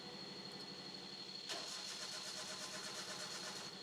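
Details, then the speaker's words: Crank no-start demo with the camshaft position sensor disconnected: the starter spins the engine at a steady rhythm but it never catches, and the warning light stays on. "വാണിങ് light പോകുന്നില്ല. വണ്ടി start ആകുന്നില്ല."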